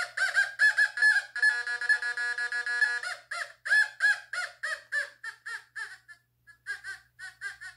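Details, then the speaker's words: Fisher F44 metal detector air test in All Metal mode on a 1940s baby spoon: warbling high beeps two to three a second, steady then chopping as the target passes, response starting around 12 inches; normal target tone. "now we got the spoon from the 40s that i found in my yard it's a baby spoon let's go it goes further you can hear it start to do something at about 12."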